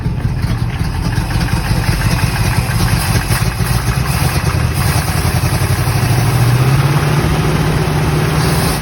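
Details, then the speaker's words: 1964 Chevrolet Corvette V8 started on jump box via start button, likely has spark, old fuel, carburetor leaking fuel possibly from accelerator pump: deep uneven lumpy stumbling idle with wavering rhythm; rough idle, cause not pinned down. "Pretty sure it has spark, it just won't start with the key. It sounds like shit, but it runs."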